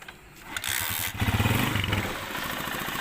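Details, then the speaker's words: Honda CG 125 single-cylinder after repair of a broken support mount: catches and settles into a quick, steady putter with no rattles or knocks; the earlier noise is gone, normal running. "दोस्तों यह आप देख सकते हैं कि बिल्कुल कोई आवाज नहीं है बिल्कुल सॉफ्ट हो गई गाड़ी हमारी"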